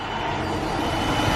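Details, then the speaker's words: 2015 Dodge Durango, 3.6L Pentastar V6, under 100,000 miles, after dealership repair of a loud tapping knock: camera beside the engine, an even, steady idle hum with no knocking coming through. "you can hear the difference in the sound no more that loud knocking doesn't sound like a diesel motor anymore so really glad I went and got that done"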